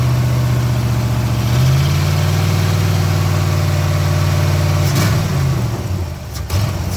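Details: 1987 Camaro IROC-Z V8 running again after a bad wire was fixed, timing slightly off: deep, even V8 rumble under light throttle, easing back smoothly with no misses or knocks; normal revving.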